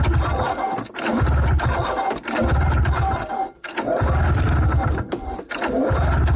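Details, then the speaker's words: 1994 Yamaha VX500 two-stroke snowmobile, long unused: repeated recoil pulls, short chugging bursts about a second long with heavy smoke, never catching; cranks but won't run, owner finds it not pulling fuel from the tank. "waa boy that's a lot of smoke but at least it's starting now I just need it to get and get it to run"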